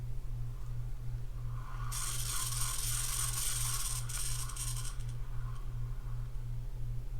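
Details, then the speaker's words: Penn Slammer III 6500 spinning reel cranked by hand: thin whining tone over low hum appears only when cranked fast, fades when slow; reel singing, cause not yet found. "if you don't know what I'm referring to is that singing noise when you crank your phone crank it really fast but you notice if you didn't uh slow it doesn't really do anything it you get faster it's when it does it"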